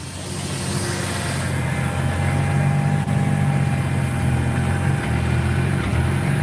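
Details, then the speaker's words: Idling engine on E85 straight from the pump, probably under a quarter tank, stumbles and sags at idle as if about to stall; owner says it wants to die when the AC is turned on. "You hear how it like wants to stumble on idle? >> Yeah. >> Yeah. When you turn the AC on, it wants to die."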